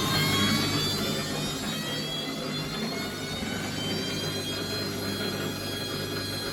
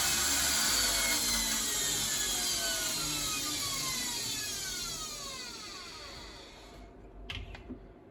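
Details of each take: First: Bosch WFF1401 washing machine after motor bearing replacement (squeal persisted after drum bearings): steady smooth hum and clean whine on spin, no grinding; much quieter, back panel off. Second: Bosch WFF1401 washing machine motor after new bearings and brushes, on fast spin: loud high whir sliding down in pitch as the drum slows, with a coarse rough edge throughout.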